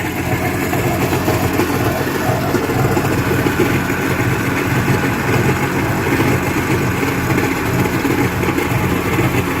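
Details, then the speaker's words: Yamaha WaveRunner two-stroke after top-end rebuild with new piston and rings, water hooked up, slightly off idle: steady, even burble with no knocks, rattles or hunting; running pretty good. "so it's running pretty good"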